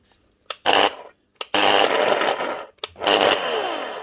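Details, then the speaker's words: Galeski Polifox wet grinder, 1500 W motor, made 2023, aftermarket brushes fitted: short bursts of harsh, gritty grinding whine each time the motor spins up; worn motor bearing. "yeah, we all know what that is. Bearings. So it can be fixed."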